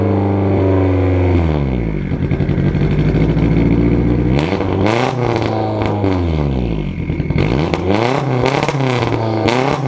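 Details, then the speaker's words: Budget race car project engine on one of its first runs, very loud with a muffler fitted. Sharp throttle blips to about 4,000 rpm bring sharp exhaust pops as the revs fall, which is backfiring on the overrun. "oh my God that was only 4K like it would peek you at 4K and be like those backfires are so brutal"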